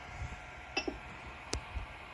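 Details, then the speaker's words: Creality Ender 3 3D printer after swapping to a BigTreeTech SKR Mini E3 board with quiet stepper drivers, auto-homing: only soft fan hum and a few faint clicks, steppers and bed near-silent; dramatic noise reduction. "So this cuts the noise down all the way to just being the fans. You can see with the bed silent as well. So dramatic reduction in sound."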